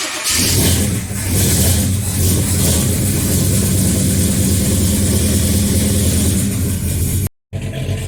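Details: XC Ford Falcon 351 Cleveland V8 cold start after months unused, with new plugs and timing at 14° initial and 34° total: fires quickly and settles into a steady, deep burble with no stumble; running clean.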